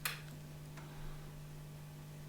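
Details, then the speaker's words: 1950s Valco National Sportsman 1201 tube guitar amp after restoration, fitted with two new Jupiter 8-inch speakers, chassis exposed to shop light: only a faint, steady low hum and one small tick, no crackle or hiss; low noise floor. "the noise is really quite nothing even with the whole circuit exposed to the shop light"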